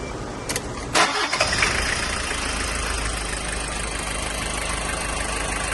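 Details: 1995 Toyota Hiace 1KZ-TE diesel with white smoke cranks, catches and settles into a rough clattering idle with a persistent knock; the owner is unsure whether timing, fuel or valves are to blame.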